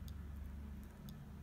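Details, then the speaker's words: Sedatelec Premio 20 DT auriculotherapy detection/stimulation unit in treatment mode, ear stimulation sweeping Nogier frequencies: faint light ticks about once a second over a steady low hum with the LED blinking. Stimulating normally. "On voit bien que la diode clignote, que j'ai un léger cliquetis."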